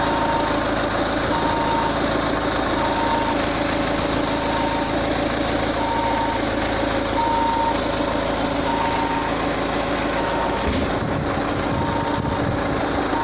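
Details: Peugeot 508 at steady idle: short regular mid-pitched beeps about every second and a half from under the bonnet; cause unknown.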